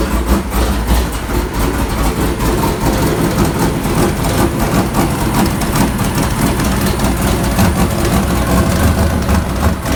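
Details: 1999 Sierra with a turbo LS 6.0 (VS Racing 7875 turbo, Hi Ram intake) on a base startup tune: heavy, lumpy idle with uneven firing pulses that stumble and surge; idle tuning on the Hi Ram remains unresolved.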